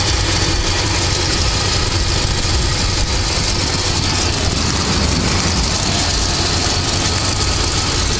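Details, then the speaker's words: 1997–2004 Dodge Dakota/Durango 4.7L V8 idling after water pump and thermostat replacement, belts back on, no leaks: a steady whirring hiss from a worn pulley bearing in the belt drive. "and you can definitely hear that uher bearing is definitely uh Wheeling there"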